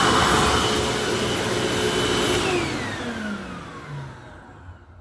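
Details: 19-year-old vacuum cleaner after motor bearing replacement and commutator polishing: steady high motor whine coasts down smoothly with falling pitch, no rumble or grinding; the earlier long wind-down bearing noise is gone.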